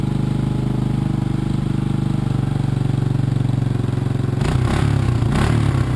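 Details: 1986 Honda TRX200SX single-cylinder quad just started after steering shaft repair, choke partly on: fast even putter staying too high, then flaring up; idle speed set too high, needs turning down with a screwdriver.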